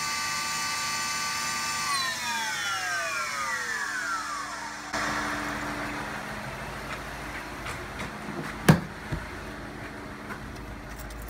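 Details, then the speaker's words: 2001 Cadillac DeVille at cold start with the fender liner removed: a shrill whine winds down over a few seconds, then a steady drone over idle. Suspected noisy secondary air (AIR) pump, not confirmed; it cuts in and out as the car warms. "when I turn it on this really loud annoying sound starts going sounds like an air pump of some sort I think it's a secondary air pump"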